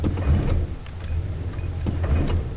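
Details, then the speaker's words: Carbureted engine with suspected slipped timing chain, no power, poor economy, on 91 octane: rough deep-rumbling idle with sharp irregular ticks; valves knocking, owner suspects valve job needed, unconfirmed. "you can hear the valves knocking but it doesn't seem to be idling as bad now"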